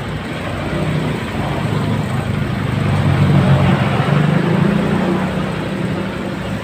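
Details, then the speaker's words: 2015 Honda Scoopy single-cylinder engine idling very rough, with a coarse rattle from a scored piston and cylinder. It is unknown whether it ever ran out of oil, and signs of burning were found on disassembly. "ini membawa masalah suara mesin sangat-sangat kasar sekali ya"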